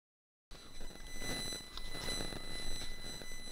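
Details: Rode VideoMic GO microphone recording through various cables: a thin, steady high-pitched buzz hangs under the room noise the whole time, present with every cable tried; electrical interference on the mic signal.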